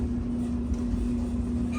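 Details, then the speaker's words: Whirlpool Duet dryer after fixing the squeaky idler pulley: steady even drum rumble with low hum, no squeal or screech, heating normally; a slight vibration has always been present. "and we have heat folks no screeching"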